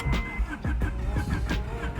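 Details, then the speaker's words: Honda Integra that lost compression on a road trip: cranking with a lopsided, off-beat rhythm, one stroke missing its push each turn, because one cylinder has no compression; cause unknown. "cranking noise here the compression noise the sound you can it sounds like it's off a beat and that's because one of the cylinders isn't doesn't have compression"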